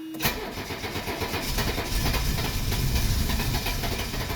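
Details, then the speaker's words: 1985 Mercedes 300CD (W123) diesel after its engine compartment restoration, with fuel still getting back in and oil pressure building: the starter grinds in an uneven chugging rhythm for several seconds without catching. Extended cranking without starting. "We should get it to fire up here in about, I don't know, 15, 20 seconds. Oh, she wanted to go. Fuel is getting back in there. Let's do it one more time."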